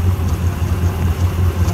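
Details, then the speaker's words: Honda Civic (EK) after new timing belt and tensioner: steady, even low idle rumble with no knocks or ticks once the faulty idle air control valve closes up; normal idle. "It's got a bad IAC, so it's obviously doing typical Honda IAC things. But now that the IAC closed up on it, it sounds pretty good."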